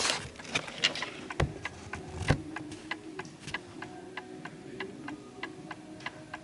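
Even tick-tock at roughly seventy beats a minute, tick and tock spaced alike; the clock sounds in beat.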